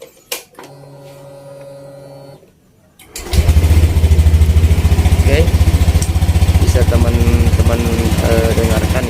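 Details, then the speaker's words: Honda New Beat scooter after CVT cleaning for an abnormal CVT noise: after a quiet start settles into an even, low pulsing run with no scraping or clatter from the belt drive, smoother than before; normal CVT running. "ya suaranya mungkin agak Cipta ada perubahan yaitu lebih halus ya"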